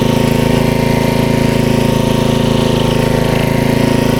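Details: 1994 Troy-Bilt 33-inch wide-cut walk-behind mower, model 34044, with Briggs & Stratton engine, recovered from the curb, in reverse: steady, even single-cylinder chug with no knocks or misses, sounds healthy.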